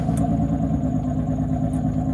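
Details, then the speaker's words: 2006 Honda Pilot with a J35 engine, just after the fuel pump and the clogged fuel filter were cleaned: a low, even hum at a steady idle with no stumbles. Idle is steadier and throttle response quicker. "the aisle seems steadier throttle response seems a lot quicker too that definitely helps"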